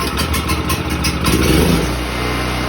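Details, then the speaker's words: New Predator 6500 W portable generator, pull-start with choke, low-oil shutoff: engine catches within a second, stumbles briefly as choke is moved back to run, then settles into a steady even run; normal cold start. "And it didn't take long. Sorry, I'm gonna have to yell a little bit, but it didn't take long for me to have to switch it to the start position."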